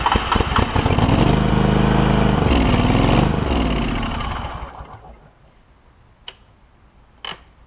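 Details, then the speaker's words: John Deere LX188 lawn tractor with new aftermarket carburetor: small engine catches, stumbles and surges a few seconds, then dies while gas pours out the bottom; flooding carburetor, float suspected. "whatever it's doing it is just absolutely pouring out the bottom so I will alleviate the gas out of the bowl and we'll take it off see if there's something going on with this float inside this thing"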